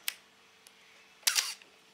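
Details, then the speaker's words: Camera shutter: sharp click followed by a brief high scratchy squeak just after clicking, a squeaking shutter mechanism. "You hear the sound? Just after clicking, there's a squeak sound."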